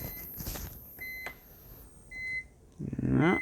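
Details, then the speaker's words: ATX PC power supply under load, running too hot, 12 V sagging to 11.9 V: short bursts of a high beep-like whine; the stressed unit whines under load, attributed to failing capacitors. "now I can hear this sound and this is definitely the sound this is definitely the sound of the cops"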